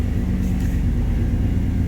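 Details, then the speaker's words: 1993 Chevrolet C1500 pickup, 5.7L V8 (VIN K), OBD1, code 54 fuel pump relay/circuit fault: with the oil pressure switch hooked up, no fuel pump prime on key-on, yet it fires right up and settles into a steady, even low rumble; running normally. "all right again key off key on no prime key off key on [Music] she fires right up"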